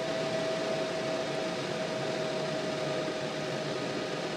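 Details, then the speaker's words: Montek X1200 prototype power station (1200Wh LiFePO4, 2,000W inverter) right after a solar-input overload at the 150 max cutoff: loud steady rush of air with a thin constant whistle; cooling fans are quite noisy, excessive fan noise. "I will by the way point out the amount of noise here um the fans are quite noisy"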